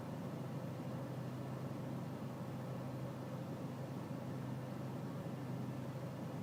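Steady low diesel drone at idle with a slightly uneven, lumpy beat underneath, no clear knock; rough idle, cause not evident. Cause suspected, not confirmed.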